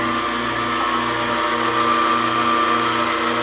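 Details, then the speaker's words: Vacuum pump after redesigned mounting plate: steady, even motor drone with fine regular pulsing, no vibration, knocks or rattles, much quieter, pulling almost 19 inches of vacuum; normal operation. "it is so much quieter now no vibration we're starting to build some pressure while sorry vacuum"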